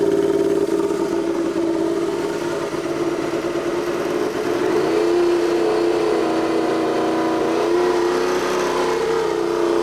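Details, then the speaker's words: Turbocharged Royal Enfield, tuned custom build, warmed up and revved: steady high turbo whistle above the engine, climbing with revs, described as brutal and beastly; normal turbo spool. "T'entends le sifflement? Il y a une forme de bruit, ça fait un peu peur quand même, une espèce de brutalité, de bestialité dans les sifflements."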